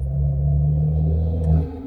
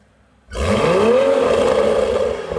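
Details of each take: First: Toyota A90 Supra with a snapped, loose exhaust valve flange, before a new GTHAUS GTC exhaust is fitted: deep, steady droning hum with a faint buzzy vibration as the loose flange shakes with the exhaust pulses. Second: Toyota A90 Supra with a newly installed GTHAUS GTC exhaust, replacing the old one after its exhaust valve flange snapped: three sharp revs with a deep, crisp bark that winds down cleanly, no rattles or drone; healthy exhaust note.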